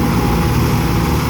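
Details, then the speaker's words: Volvo Penta sterndrive Chaparral after repairs, dual props, full throttle while trimming up: loud steady even roar, no misses, knocks or surging; strong and healthy under load. "that's Full Throttle now he's bringing the trim up and we're going to start seeing some RPMs and throw the water"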